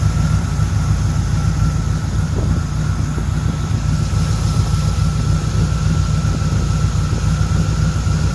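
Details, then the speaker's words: 1976 Corvette Stingray V8 first run in 8–10 years, fresh filter, after the low idle was turned up, oil pressure good: steady, even low rumble with no knocks or misses. Smooth, healthy idle. "Well, it seems like the idle's a little low. Grab a screwdriver and turn that up."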